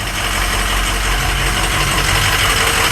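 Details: Truck diesel idles loud and rough with an uneven, stumbling beat under heavy clatter, because a catastrophically failed EGR cooler is letting coolant into the engine.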